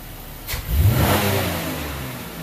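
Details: 2004 Buick LeSabre 3.8 V6 after repair of a P0102 mass airflow code and rough idle: idles, then snaps cleanly to a little over 5000 rpm and falls smoothly back with no stumble.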